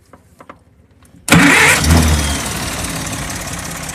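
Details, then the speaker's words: Engine starting, cranked from the starter, with a homemade fuel pump diaphragm cut from a drag racing slick sidewall that has run many miles. A few starter clicks, then it catches at once and settles into a steady, even idle. "you go it works perfect a lot of miles on it since I've done this"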